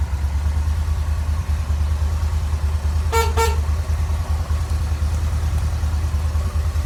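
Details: Kawasaki Vulcan Nomad 1600 V-twin, fuel injected, two plugs per cylinder, idling after fuel pump work and trimming and reinserting all four plug wires: even low thump, two short horn toots, smooth steady idle.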